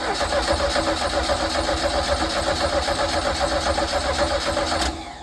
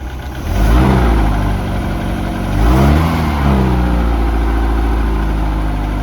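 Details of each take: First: 1982 Sea Ray boat engine: starter cranks at a steady four beats a second with no firing; fuel reached the carburettor only when poured in, as the fuel pump delivers no fuel through the line. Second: 1982 Sea Ray boat engine running on its own fuel after revival, water pumping out the side: smooth, even idle that picks up cleanly through two blips and settles back steady; normal running.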